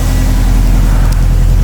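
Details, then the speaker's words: 2007 Subaru WRX STI at idle, coolant about 180, after fixing a pre-turbo exhaust leak and fitting a Perrin up-pipe, VF48 turbo, Invidia catless downpipe and Q300 exhaust: deep, smooth, even idle with no puffing at the turbo, so no leaks. "it sounds awesome coolant's starting to rise up slowly it's about 180 but man this thing's already sounding so so much better the idle sounds better you could just hear it no leaks"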